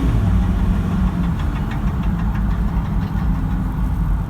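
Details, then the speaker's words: Diesel after new injectors and related work, accelerating off: deep even rumble pulling cleanly with ordinary combustion clatter, no injector rattle; normal diesel acceleration. "just wanted to demonstrate how quiet is that i'm super impressed you can just hear the engine you know engine noise is normal engine noise no rattle"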